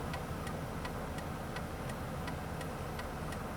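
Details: 2001 Ford Taurus turn signal before repair, bulb fine: sharp, evenly spaced clicks about 160 a minute over a quiet idle, then the signal stops after a few flashes; intermittent fault traced to the turn signal relay under the steering wheel.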